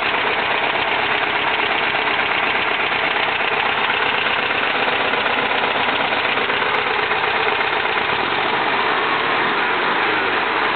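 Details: 1971 VW Type 3 Fastback, just static-timed with the vacuum advance fixed: a lumpy idle with missing pulses. Pulling the cylinder 1 or 3 plug wire changes nothing, pulling 2 or 4 kills it, so it is running on two cylinders with the cause unknown.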